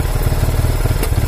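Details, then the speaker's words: Yamaha Vixion New motorcycle with a rough idle and an indicator lamp on; it pulls to high rpm, but past about mid revs it gives uneven, choppy low pulses and stumbles as if about to die. Owner points to a worn battery; cause unconfirmed. "tapi kalau sudah kita naikkan segini nah Kara Lala cepet-cepet ya kayak mau mati ya"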